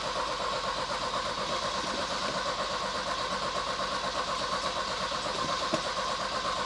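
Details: Volvo 240, new fuel tank and lines fitted, previously ran from a remote fuel bottle: steady churning crank about two beats a second, never catches; owner suspects flooding, spark present; cranks but won't start.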